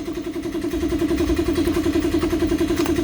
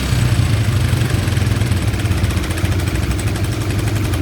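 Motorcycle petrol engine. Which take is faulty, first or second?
first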